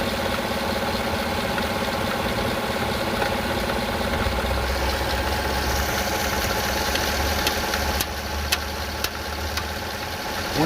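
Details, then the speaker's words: Gen 5 LT at idle: uneven knocking and jerky thumps, and the engine can be physically felt jerking. It does not happen at higher RPM. The owner guesses the timing chain or tensioner; not confirmed. "you hear that noise, I can physically feel the engine jerking. My guess it could be the timing chain or the tensioner. It does not do it at higher RPM."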